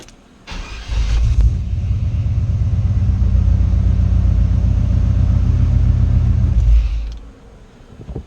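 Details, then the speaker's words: Chevy with new mini racing high-torque starter replacing old one too close to headers: crisp, even cranking beats, no grinding or clicking, engine catches cleanly; normal starter cranking, unlike the slow old starter. "Man, that sounded good. Listen to how clean this starter sounds."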